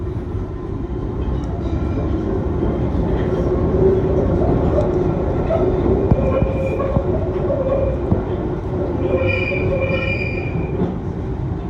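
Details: Eastbound train to Cockfosters running through a tunnel: a steady rumble with intermittent high squeals that rise and fade as it turns left and right; wheel squeal on curves.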